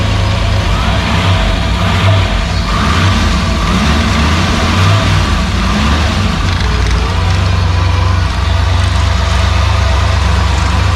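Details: Freshly rebuilt "Maliboom" V8 on its first fire, running with the mufflers on after the oil pressure came up: a deep, steady, even idle rumble with no knocks, misses or rattles. Normal healthy idle.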